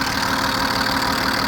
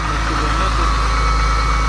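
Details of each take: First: BMW E34 with M50B20 engine, warm but not yet at operating temperature: fast light metallic ticking from the top end over a steady idle; noise appears once warm despite oil changes, hydraulic lifters or injectors suspected, oil pressure test planned. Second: BMW E34 M50B20, cold idle at −2 °C: steady, even low hum with no knocking or ticking. The owner says the hydraulic lifters only start rattling once it warms up.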